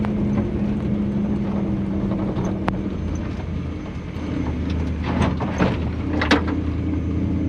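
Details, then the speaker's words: Toyota Land Cruiser with a 1UZ Lexus V8 swap, completed and driving. Smooth, even V8 rumble pulling away with no misses or knocks. Antifreeze smell noted earlier. Normal running. "pense que nous allons appeler celui-ci fait il conduit il fait ce qu'il devrait un résultat génial"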